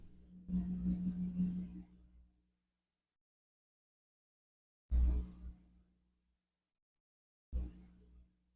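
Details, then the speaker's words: Old Samsung clothes washer on an Anker Solix C1000 power station, drawing about 85 W, 1.4 A: short bursts of steady low howl near 190 Hz from the spinning drum, even tone, no knocking. Normal spin. "So what that howling is, it's definitely the cylinder inside."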